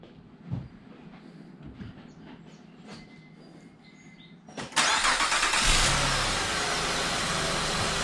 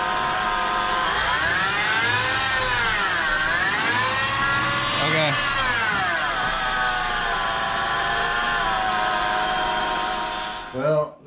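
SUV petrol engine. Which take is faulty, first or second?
second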